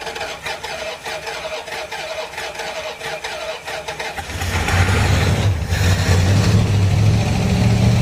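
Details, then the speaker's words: 1935 Ford truck, long forgotten and previously locked up, slow cranking into a low, uneven rumble of about 220 beats a minute. A vacuum leak, likely a missing vacuum cap, flooded it, making it hard to crank. "my got a little bit of a vacuum leak right back there so it flooded it that's why it was so hard to crank"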